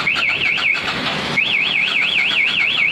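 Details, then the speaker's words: Big motorcycle, possibly a Harley, with a newly fitted MP1 Super anti-theft alarm: loud warbling siren sweeping up and down about twice a second, tripped by switching the ignition on. Bypassing, cutting or jumpering wires triggers it and blocks starting. "Ketika dibobol atau di kontak on kayak ini, ada yang bobol dari sini atau ada yang potong kabel atau di jumper ya, maka akan teriak."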